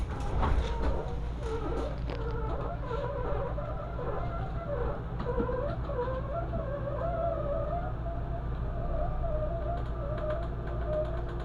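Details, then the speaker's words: NXG BAL through-frame RV slide-out after a lubrication fix: steady low motor drone with wavering rubbery squeaks from the rubber seals rubbing the sidewalls; normal, smooth operation. "but this is what we have now what it should sound like the squeaking is just from the rubber seals squeaking against the sidewalls of the slide"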